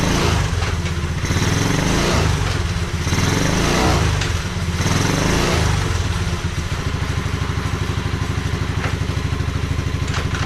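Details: 1986 Honda Fourtrax 125 after carburetor cleaning: even single-cylinder thump at idle with a few throttle blips, settling back smooth and regular; normal idle.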